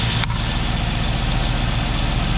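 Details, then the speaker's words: 2005 Cadillac Escalade 6.0L LQ9 V8 at 178,000 miles, idling outside with good oil pressure; very quiet, steady deep idle, no lifter or LS tick, exhaust manifolds apparently done earlier with replacement bolts; normal idle. "very very quiet uh looks like the manifolds may have already been done on this but no lifter tick no no ls tick either"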